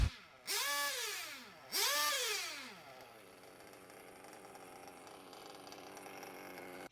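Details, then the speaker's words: Nitro RC car engine after two quick revs drops to a faint, slow, weak idle that barely keeps running, nearly stalling; idle gap left unchanged, low-speed needle too rich, about to be leaned to raise the idle. "so as you can hear the idle is super low it's almost not running so i'm gonna lean the low speed needle now to raise the idle"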